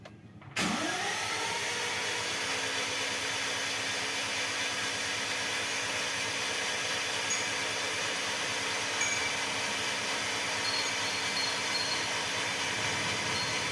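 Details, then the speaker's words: Toyota Innova petrol engine after full teardown for oil leak repair, cranked with spark plugs removed to circulate oil until the oil light goes out: even steady starter whir, no firing, spins freely; oil pressure built, safe to start. "kita starter kosong ya, biar ngebuang bensin sama olinya, biar sirkulasi naik dulu olinya ya"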